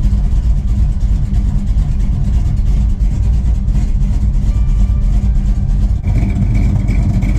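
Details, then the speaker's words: 1969 Dodge Super Bee V8, first start after 4–5 months of winter storage, oil pressure primed with the coil unplugged, on stale last-year gas. Lumpy idle with a fast, sharp ticking puff on each firing pulse. Front exhaust header leak. "I don't know if you can hear that header leak at the front. It's driving me crazy. I'm gonna have to fix that."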